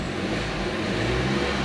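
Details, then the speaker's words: Category N salvage car bought at auction, idling with no engine warning lights and then given a few revs: smooth, even petrol idle with a steady low hum, no knocking or worrying noises. "give it a little bit of revs it sounds good i can't hear any knocking i can't hear anything that's too worrying"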